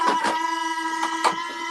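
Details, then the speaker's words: 80mm electric ducted fan run on the ground outdoors on a patio; steady high even whine with a few short bumps in level, spinning cleanly, normal. "that's going to be a little noisy because he's running off the fan"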